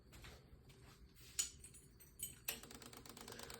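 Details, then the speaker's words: 2007 Kawasaki Ninja 650R (same on 2006–2008): key-on light uneven ticking under the tank from fuel injectors and throttle body actuator firing while fuel pump stays off; cause tripped tip-over sensor, fix by zip-tying it down or disabling it. "those are your fuel injectors going off. That means your pump is not pumping any gas."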